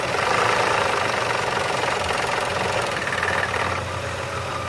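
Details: Car engine idling before an oil change: hard, metallic clanging knock about four times a second; the oil drained from it was shown and the noise was absent after the oil change. Severe engine knock at idle.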